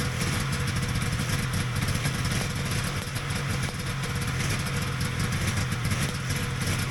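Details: Vintage Polaris XLT triple two-stroke snowmobile after rebuilding fuel pump whose plate was installed upside down so it wasn't pumping: steady, even low burble with no misses or hunting, clean idle, fuel now getting through.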